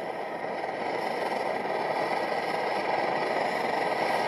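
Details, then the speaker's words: MSR XGK multi-fuel stove over 20 years old, burning liquid fuel: strong, even rushing roar that builds slightly and holds steady without sputtering or pulsing; burner running properly at full heat. "it there so it's just absolutely raging"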